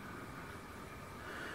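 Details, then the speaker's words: Imax B6 mini charger cooling fan, which had hummed annoyingly, after disassembly and lubrication with Litol-24 grease, running at maximum charge current: soft, steady whirr with a faint even tone and no rattle or growl; normal fan running. "запускаем слышим вентилятор смазанный видно как крутится надеюсь что видно только шум небольшой но никаких посторонних звуков не наблюдая можем считать что смазали мы его успешно"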